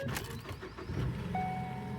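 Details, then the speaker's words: 2012 Ford Focus, about 224,000 miles, reported sticking in gear: engine cranks briefly, fires right up and settles to an even idle with a dash chime; no clicking from the transmission, and no transmission fault message. "Fires right up, no transmission clicking."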